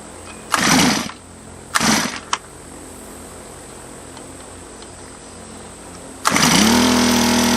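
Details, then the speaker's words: Honda GX25 four-stroke (Honda HHT25) just rebuilt with new piston, cam, timing belt and valve job, heat cycle without full throttle: two pull-start bursts, then catches and holds a smooth steady idle, no stumbling. "So yeah, it might be good just to start it up, let it kind of heat cycle like that a couple times."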